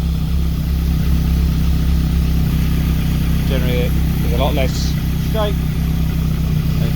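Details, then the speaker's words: Caterham being rebuilt after salvage, after correcting cam timing that was out and causing hesitation: steady, even idle with a firm low beat, no stumble or misfire; running normally. "okay so i think we've finally nailed it the timing was out"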